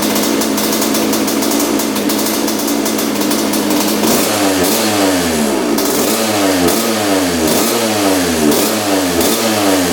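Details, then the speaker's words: 1986 Honda CR125 two-stroke with air screw about four turns out: quick throttle blips pick up crisply but still stutter slightly at the top; pilot jet (62) too big, running rich. "so it was definitely the pilot jet so we are like four turns out on the air screw so that's allowing more air to come in what that tells me is that the pilot jet is too big uh for this bike right now"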